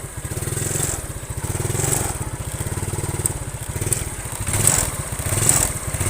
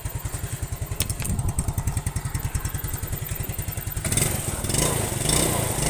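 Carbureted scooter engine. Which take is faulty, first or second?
first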